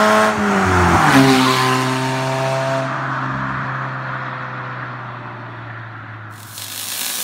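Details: Petrol engine revs hard and falls back, with a raspy, hissy edge from an exhaust leak; the leak is the reason for fitting cheap aftermarket eBay 4-2-1 headers.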